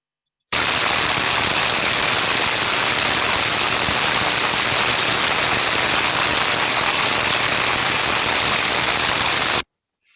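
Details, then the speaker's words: Ultrasound recording of a motor bearing at 61 dB and 30 kHz: coarse, non-uniform rough hissing with uneven crackle instead of a smooth uniform sound, with large impacts in the waveform, indicating a bearing defect. "so as we can hear from that sound it was non-uniform and coarse in nature"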